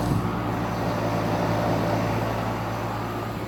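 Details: 2008 NuTone dual-zone central air conditioner with a scroll compressor. Steady low hum with an even fan whoosh and no knocking, rattling or squeal: normal running.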